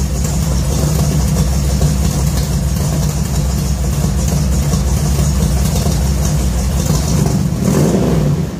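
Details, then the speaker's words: 1966 Ford F100 shop truck V8 with new headers and newly built exhaust, first start after install: deep, even rumble rising and falling with throttle blips, no rattles, ticks or leaks; exhaust sounds good, normal exhaust note. "well i think that was a success exhaust sounds good real good"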